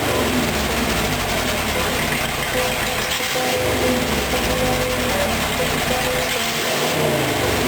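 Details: Rat rod engine idling after a timing chain install; timing is not yet exact. It had an off-rhythm, lopey return from revs before. Now a loud, even idle holds a steady beat with no chain slap, running normally.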